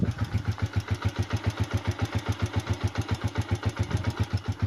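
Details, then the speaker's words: Honda TMX single-cylinder motorcycle, fairly recently rebuilt, near idle: steady thump with a light, regular tick on every beat, blamed on too much clearance. Piston slap. "Ayan kabuhayang niyan bagong buhay pa lang ah pero ano na yung tunog niyan lagitik na So ibig sabihin ang laki ng bb clearance niyan"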